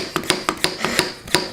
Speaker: it hear that clicking noise that means that it's sealed